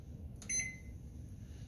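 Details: Samsung FX710BGS oven range after replacing faulty temperature sensor that caused E-0A error and beeping: one short, clean keypad beep over low room hum, no continuing alarm.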